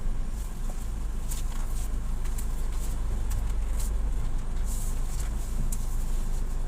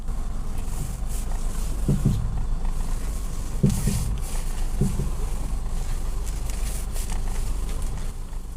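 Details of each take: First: Nissan Juke front suspension after replacing strut (shock) bearing, with new front shocks and member bushings; road test while turning shows steady low road rumble, former clunking when steering now gone. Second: Nissan Juke at steady idle gives dull clunks and creaks as the steering wheel turns; front shocks and member bushings were recently replaced, and the worn strut top mount (shock) bearing is suspected and set to be replaced.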